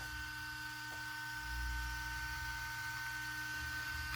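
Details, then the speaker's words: RC car motor cooling fan on external 6 V NiMH supply (6 or 7.4 V depending on regulator); steady high whirring whine, louder than needed: cooling fan too fast and loud. "vous entendez ça c'est pas moi qui augmente le volume assez le ventilateur qui prend des tours voilà donc forcément ça refroidit bien mais y'a pas besoin que ça tourne aussi vite n'ai pas besoin que ça fasse autant de bruit"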